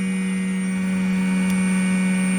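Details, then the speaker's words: Hymer Venture S 2023 motorhome, pump in the double floor labelled as a noisy prototype: loud constant low hum at one fixed pitch, droning noisily while running. "it says X Pump prototype noisy so and so above this noise is so on so my charger doesn't make a noise like that"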